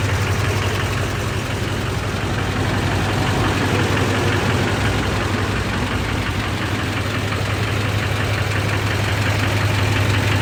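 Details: LBZ Duramax diesel at idle: steady regular knock about three a second standing out above normal clatter, internal engine knock.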